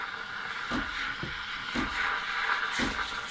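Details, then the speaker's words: HiBrew H10 Plus thermoblock espresso machine steaming milk: irregular pump pulses about every half second to second over steady hiss as small water shots go to the thermoblock to flash into steam; normal steam pump pulsing. "So for every thermal block, whether it's a Dallmayr or Sage, or in this case the HiBrew, it's got to send just a little shot of water to the heater to get flash heated to turn into steam."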